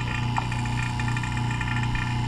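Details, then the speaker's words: 2017 Chevy Silverado High Country 6.2L (R-1234yf), after replacing the AC compressor, condenser and expansion valve: the vacuum pump evacuates the system with a steady, even low hum and no laboring, normal operation. "So I got the vacuum pump running now, and we're pulling down vacuum and let it go for a while, probably about 15-20 minutes."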